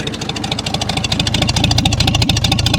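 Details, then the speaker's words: 1937 Oliver Hart Parr 70 tractor at low idle, microphone near the exhaust pipe, oil pressure 23–25 psi: crisp, evenly spaced exhaust pops of roughly two per second, steady and unbroken; healthy idle. "Sounds good. Still got about 23 to 25 psi in oil pressure. Not bad. Nice low idle for you."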